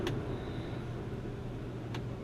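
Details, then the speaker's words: 1966 Ford Galaxie 500 convertible under restoration, heater blower tested: quiet, even low hum at a steady pitch with no squeal or ticking; the fan works on all three speeds. "all the three speeds work so that heater fan works and it works on all three speeds and nice and quiet"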